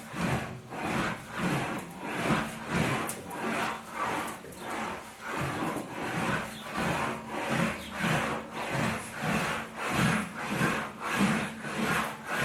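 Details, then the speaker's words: Homemade English wheel (wheeling machine) smoothing a hammered metal panel: even rhythmic rasping swish about every 0.6 seconds as the panel rolls back and forth, indicating correct wheel pressure and a normal working sound. "the pressure I have on air with the with the wheels kind of making a the right kind of sound you'll hear the right sound what's happening"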